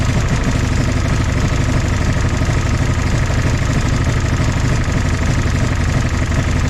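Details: 1964 Jeep CJ5 barn find, previously seized engine, just revived: loud, steady low idle rumble with even beat and no misses after the fourth cylinder apparently kicked in; smoky but running smoothly.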